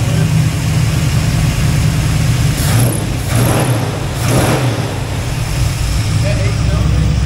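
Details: El Camino V8, already hot: deep, even rumble at steady idle with no miss or stumble, running smoothly and better than before.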